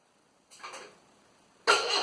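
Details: Land Rover Series 2a 88 2.25 diesel, first start attempts: brief starter churn, a pause, then a louder burst that never settles into a steady idle; cranking but not catching.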